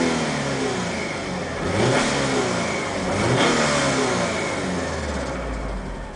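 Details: Alfa Romeo 147 2.0 Twin Spark: revs rise and fall with uneven rough note mid-range, odd engine noise around 2500 rpm at rev peaks; cause not evident.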